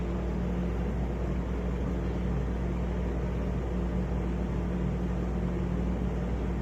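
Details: Arlec Style 3 exhaust fan in poor condition: steady low hum with a rough gravelly drone from bad bearings.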